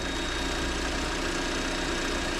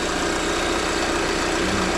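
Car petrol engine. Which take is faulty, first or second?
first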